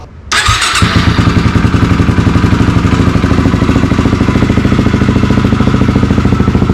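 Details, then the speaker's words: Yamaha WR250 fully reassembled after repair, after-repair start: starter catches, single fires at once and settles into a steady even thump about three beats a second, no knocks; normal start and idle. "let's just do a little bit of uh before and after here on the engine all right so that's what it sounded like before here's what it sounds like now"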